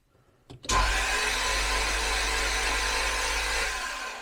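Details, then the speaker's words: Jaguar S-Type V8 with newly fitted engine, first start attempt, plugs out: starter spins engine cleanly into a smooth, even whir without compression chuffs; oil light on; normal cranking, fuel at rail not yet checked. "But that does crank very nicely."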